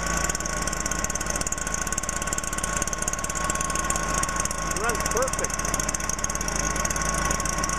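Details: 2009 Stihl BR420 backpack blower, 57.2cc pure two-stroke, no primer (choke start, floods easily), idling normally: small two-stroke buzzing at a steady idle with no misses, surges or knocks.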